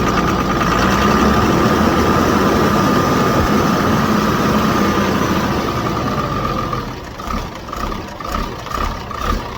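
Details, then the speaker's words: 2007 Ford F650 with 5.9 Cummins diesel: steady idle with a clear, even high turbo whistle on top, louder after removing the turbo's silencer ring and retaining clip; normal. "we take out the silencer ring and we do not have to put it back in there it will make turbo whistle louder"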